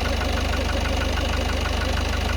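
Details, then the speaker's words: Citroen Relay van diesel at 12,800 miles, idling warm inside the cab: quick, even tapping about seven a second over a dry fretting rustle, present since about 4,000 miles and worsening with idle time and heat. "I also don't know if you can tell, there's a fretting sound, so over the tapping sound you also get a fretting sound, which sound is kind of like that."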